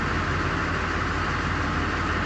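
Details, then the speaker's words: 2002 Chevy Silverado 2500HD LB7 Duramax diesel at 255,000, starting after a new injector set, with oil pressure up. Smooth, even diesel idle with a steady low rumble, no knocks or misses: normal idle. "we got oil pressure sounds like we're gonna be good with fuel too"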